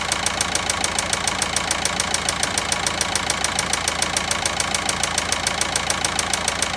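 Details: VW Passat 1.9 diesel at idle: sharp, very regular ticking about three or four per second over the diesel idle; engine knock whose source isn't pinned down yet.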